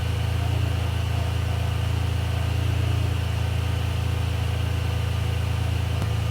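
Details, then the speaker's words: Ferrari 456 GTA V12 after major service idling smooth and even, cooling fans whooshing with climate control off, confirming the complaint that fans only ran with heater or AC on; check engine light still on. "So the car is running great. You guys can hear that the cooling fans are running and I actually have the climate control turned in the off position."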